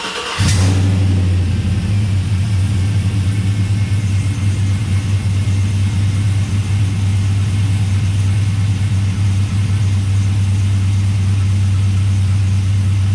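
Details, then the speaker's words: Truck's first start after transmission install: untested transmission from a truck with a blown-up engine, about six quarts of ATF added, torque converter just fitted. Steady, strong low drone with no terrible noises, no clunks, grinding or whine; normal running. "No terrible noises. Off to a good start."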